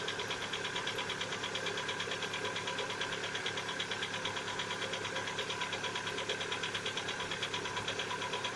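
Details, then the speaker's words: Cold-start knock on a Lada Vesta at 70,000 km: a steady metallic tapping about three times per second at idle, described as piston knock, not hydraulic lifters. It lasts one to two minutes and appeared recently; cause unknown. "запуск как стучат пор стена холодного не путают с гидрокомпенсаторами"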